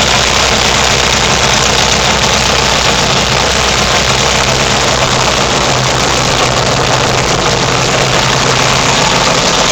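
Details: Yamaha XS650 twin converted to turbocharged MegaSquirt fuel injection, oil leaking at the right cylinder, just after first start: loud, steady idle with an even low thrum and lots of hiss and clatter; normal idle.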